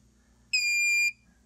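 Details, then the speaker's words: Xantrex Prosine 1800 pure sine inverter on a DIY six-module Nissan Leaf battery pack (max about 25.2 V): as input falls to about 19.88 V, a single half-second high beep sounds as it shuts down; inverter under-voltage shutdown alarm. "when we get to 20 it should go into shutdown so let's see I'm gonna back it down a little more batteries are weighing down going right like the 20 1988 so just went into a shutdown okay"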